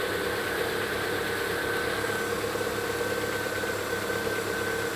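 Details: Lada Vesta petrol engine, 26,000 km, cold start: faint uneven knock under steady hum, present since new; pistons replaced with no difference, piston and connecting-rod group replaced with 0.01 oversize; cause not pinned down.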